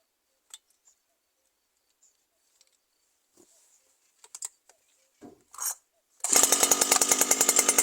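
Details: New Stihl FS 120 brushcutter that stopped starting after break-in. After its faulty spark plug was swapped for a scooter/motorcycle plug, it catches after handling clicks and buzzes at a high, even rev, running cleanly.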